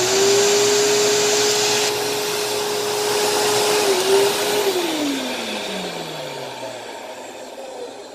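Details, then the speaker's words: Dirt Devil vacuum being tested: a steady high motor whine with a rough rushing edge, pitch sliding down as it spins off. It sounds unhealthy but not like shot bearings; the owner suspects dust in the motor. "so yeah it does run it doesn't sound very healthy but it also isn't like shot bearings it might just have some dust in the motor"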